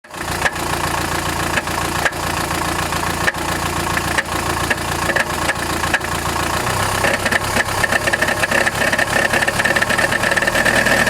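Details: Chrysler Grand Voyager 2.8 CRD diesel at idle: loose, irregular metallic rattle, not from accessory belt, power steering or the removed balance shaft; cause found to be a badly cracked flexplate between crankshaft and torque converter in the bell housing.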